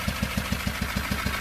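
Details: 2018 Rexton Sports 2.2 diesel, about 119,174 km, before engine replacement: heavy regular metallic knock around seven blows a second, shaky uneven idle, white smoke; crankshaft cap bolt head broke, holing the cylinder block and melting piston 1.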